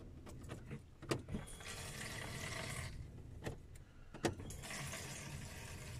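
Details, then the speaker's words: Petrol VW Golf 6, heard at the pump access under the rear seat: key turned on without starting gives two short bursts of steady electric whirring with key clicks between, the fuel pump priming normally for a few seconds. "Et en fait, en donnant un coup de clé, vous allez voir, on entend la pompe d'amorçage en fait. Donc là, je tourne ma clé sans démarrer la voiture."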